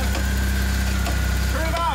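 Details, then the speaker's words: Engine just started after radiator JB Weld repair, coolant refilled and new belt tensioner fitted: steady idle rumble with sharp clicks and a clunk; something in the belt drive is knocking, suspected belt problem, not confirmed. "is did you hear that clunk clunk doing that stupid ass clicky [ __ ] again"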